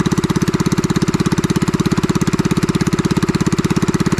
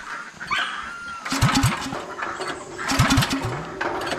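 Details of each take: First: Farm pressure washer's small engine after repair; it would not start following heavy rain the night before. It now gives a steady, even putter with evenly spaced beats and no misses or knocks: running smooth and healthy. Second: Gasoline pressure washer engine on a piggery farm, pull-cord cranked about every 1.5 s, turns over but never fires: no-start after heavy overnight rain (owner suspects engine got cold); 30 minutes of tries failed, to be taken to a shop.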